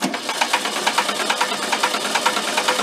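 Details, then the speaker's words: Barn-found circa-1973 VW Karmann Ghia, cranking: sharp clacking about two per second while oil pressure builds (test light goes out); sticking slow-returning valve suspected, not confirmed. "so it is building oil pressure by clacking"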